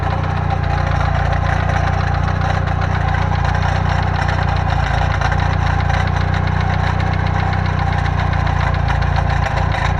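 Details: Steady idle with a loose, uneven rattle of roughly three to four beats a second over the low rumble, first suspected as rod bearings; found to be a loose Fidanza flywheel starter ring.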